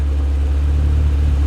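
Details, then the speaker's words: Fiat Uno Turbo, first run since rebuild, warming up after idle screw adjustment, with new hoses and vacuum lines: deep, even low rumble with smooth steady beat, nothing rattling; idling nicer and running better as it warms. "it's iding nicer yeah so I adjusted the uh screw as it's getting more warm it's running better"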